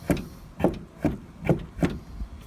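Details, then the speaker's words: Toyota Tarago/Previa/Estima sliding door: five dry scraping creaks, roughly one every half second as the door moves; the middle hinge's front roller is worn out and dragging. "it's got a problem on key that uh Dean tells me it don't like it makes that noise you can see that's what we mark that there looks like the front roll there is gone"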